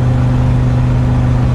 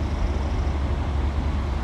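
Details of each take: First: 1990 Fleetwood Bounder Class A motorhome with a big-block Chevrolet engine, warmed up and driving under road load: loud, deep, steady drone with a raw, open exhaust note; the exhaust manifold donut gaskets are believed to be completely blown out and are due for replacement. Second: 1990 Fleetwood Bounder Class A motorhome, big-block Chevrolet, after new exhaust donut gaskets, springs and nuts were fitted: a deep, steady, even rumble with no ticking or puffing at the manifold. It sounds much quieter and is running normally again.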